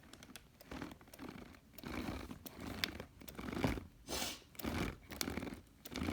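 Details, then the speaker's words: Arrma Kraton EXB 1/8 monster truck rear differential spun by hand with one wheel held: gritty grinding, uneven crunching in bursts, not spinning freely; broken gear tooth, tooth fragment found after cleaning the diff. "you can hear that there's definitely some grinding going on in here all right here's another good sign that there's obviously some teeth damage"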